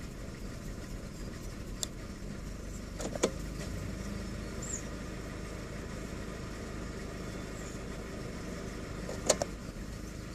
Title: Corsa C rough idle